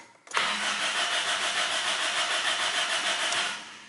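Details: Car retried after adding fuel; starter churns steadily about three beats a second for three seconds, engine never fires; cranks but won't start.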